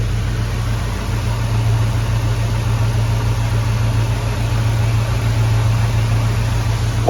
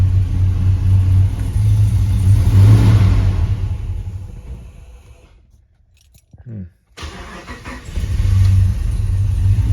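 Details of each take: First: Hemi V8 swapped into a Grand Wagoneer while chasing a bog/low-idle problem that appeared once warm: a deep, steady idle with an even exhaust burble, no sagging or stumbling over seven seconds, sounding healthier. Whether the fix holds is not yet confirmed. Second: Hemi-swapped Grand Wagoneer cranked after replacing a sensor: engine stalls briefly, then settles into a slightly uneven low idle; previously bogged once warm, running-rich cause not pinned down.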